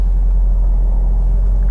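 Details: Manual car, handbrake on, gas set again before reversing in a manoeuvre: deep, even engine drone held steady at raised revs with no dips or hunting; a normal setting for pulling away.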